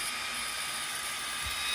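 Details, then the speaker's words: xTool D1 Pro 40 W diode laser engraving normally: a constant, loud, high hissing crackle with no low rumble, steady throughout. "I don't know if you can hear it you hear that crackling sound I mean it is outright crackling"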